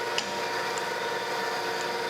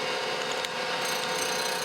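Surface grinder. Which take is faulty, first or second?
second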